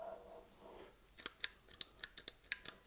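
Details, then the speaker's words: 1960s Gibson GA-5 Skylark amp floor footswitch toggle switches: about nine crisp clicks, each snapping back without sticking. The switches work normally. "these are basically like toggle switches you would hit it they both sound like they're functional"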